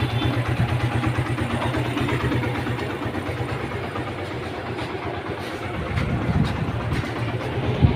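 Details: Suzuki Gixxer Street Sport, self-start noise problem after repair, started with clutch held: even, steady single-cylinder putter at idle with no starter rattle or clatter; noise gone, engine runs smoothly.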